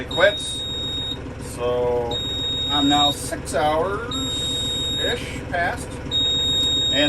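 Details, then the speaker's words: Mahindra 6065 tractor, still sounding despite a rumor that it stops by itself after five hours: long shrill beeps of about a second, repeating every two seconds without stopping; service reminder alarm, before reset. "okay there it is that annoying service reminder beeping uh i heard a rumor that after five hours it automatically"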